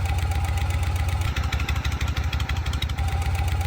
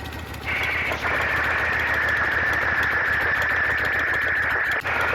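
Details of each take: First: Shovelhead V-twin at idle, as it used to sound: loping idle with light rhythmic tapping about three a second; owner feels a hint of noise in remaining rear lifter, later swapped for another S&S lifter. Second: Shovelhead V-twin just started, warming only a couple of minutes, at idle, heard close up (recorded per valve): all four valves quiet, smooth even idle with no ticking or tapping; noise had been affecting rear cylinder over two rebuilds.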